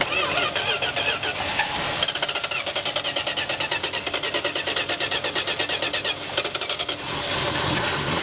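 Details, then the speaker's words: 1971 Dodge Coronet being revived, starting fluid sprayed only while cranking: fast, even starter chatter, barely catching on the spray, then dying away. It runs only on starting fluid; a bad fuel pump is suspected, not confirmed. "so we kind of determined that maybe it's a bad fuel pump or whatever it's going in"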